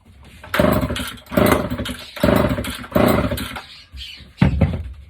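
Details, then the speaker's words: Vintage chainsaw, low on compression: the pull-start gives four short sharp pops about a second apart, each dying away. It fires briefly but won't keep running. "she's a bit low on compression but he did say it does run so let's see just want to hear it pop"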